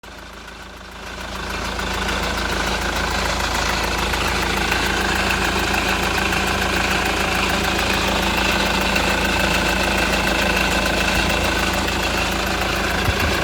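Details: Honda Accord CN1 2.2 CTDi diesel at idle: steady idle with a regular tapping about three beats a second running through it; abnormal engine noise, source unclear.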